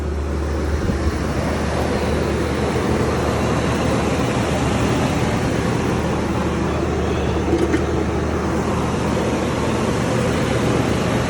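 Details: 1984 GMC Sierra Classic just started, recorded outdoors: steady, even low idle rumble with no knocks or misses; 60 psi oil pressure, running slightly rich, normal idle.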